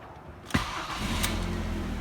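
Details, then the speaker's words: Car started after repairing bad earth wiring (gearbox-to-inner-wing earth lead reattached) and replacing the leaking rocker cover gasket: a short crank catches on the first turn, then settles into a steady low idle with no misses. Normal start. "right I suppose I better turn the key and fire it up ignition"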